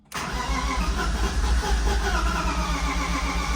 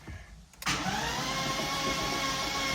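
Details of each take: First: Flood-submerged 2006 BMW E46 M3 after oil pan and frozen starter replacement, first start attempts: steady starter churn about four pulses a second, cylinders almost firing, then cranking stops; long crank, no start. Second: Flood-submerged 2006 BMW E46 M3 (S54) cranking on a substitute M54 starter after oil pan and frozen starter replacement: steady whine, even cranking, no grinding or clicking; normal cranking with crank signal.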